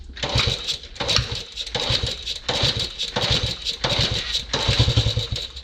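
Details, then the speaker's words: Old CT90 bought from an estate, first revival attempt by kickstart: repeated chuffing, clattering kick-over bursts about every second that never catch. The owner considers ether. Cranks but won't start; cause not confirmed. "Oh, did you hear that? Maybe I need to give it a little ether. Let's try that."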